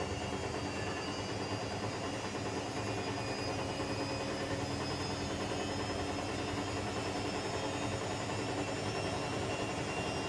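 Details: Electrolux EWF10843 washing machine spinning at 800 rpm with only two pieces of clothing: loud steady roaring rumble with a rattly edge throughout the spin, cause unclear.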